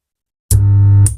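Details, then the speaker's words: 2N3055 transistor amplifier after fitting three transistors, speaker connected: deep, steady low hum lasting about half a second, then cutting off; amplifier still hums, fault not yet found. "तो आप सुन पा रहे हैं य अभी भी इसमें humming का आवाज आ रहा"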